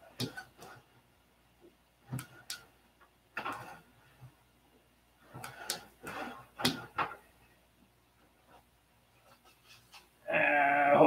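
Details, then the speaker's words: F2B model aircraft flaps and elevators, freshly glued and stiff, give sharp irregular clicks and pops when worked, from hardened epoxy breaking and catching in the hinge line at the outboard wing; the epoxy must be picked out. "you hear that pop that's epoxy breaking they're gonna have to i can hear it clicking out there on the outboard wing i have to pick some epoxy out of that"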